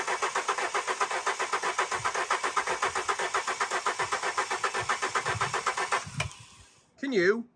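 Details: Alfa Romeo 145 Cloverleaf after sitting 8 years, fresh fuel added to a 3/4 tank: starter cranks at a rapid steady rhythm for about six seconds, never fires; fuel pump found not pumping, pump being removed.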